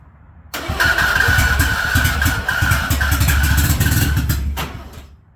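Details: Mazda FB RX-7 with spark confirmed, carburetor not bolted down: about four seconds of fast even cranking that never catches, then starter stops; cranks but no start, cause unconfirmed.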